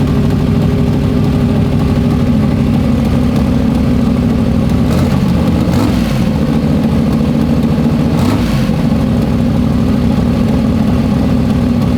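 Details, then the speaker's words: Freshly built 421 small-block Chevy for an S-10, first start after priming oil pressure, not yet broken in: steady, crisp V8 idle with even rumble and no knocks, crisper than the previous motor. "It does sound good. It hasn't broke in yet. Dude, it sounds good. Yeah. It's way more crisp than the other motor was."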